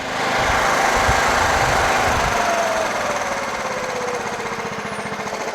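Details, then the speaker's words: Scotts Murray 1542 mower with Kohler Command 15 engine after carburetor cleaning and linkage rod adjustment: steady single-cylinder thumping at the very lowest idle, about 220 beats a minute, no surging; carb still leaks fuel. "This is at the very lowest idle. Doesn't surge, runs great."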